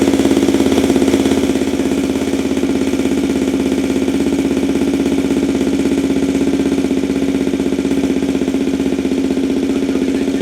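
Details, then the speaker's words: 2023 Benelli TNT 135, first cold start after installing a DCR cam and custom ECU tune: fast, steady single-cylinder beat held well above normal idle, loud, with no dip or hunting; idle set too high. "You hear how high the idle was? I mean, yeah, it was loud. I mean, it is cold. But that idle just seemed like stupid."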